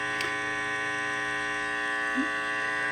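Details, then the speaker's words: Heathkit IT-12 tube radio test with gain turned way up: steady electrical hum and hiss over a barely audible station; earlier short with smoke, cable still to be replaced, a short may remain; noise source unconfirmed. "Uh, I can hear that faint radio station in the background right there, but there's a lot of other noise cuz I'm having to bring the the gain up so much on here to hear that."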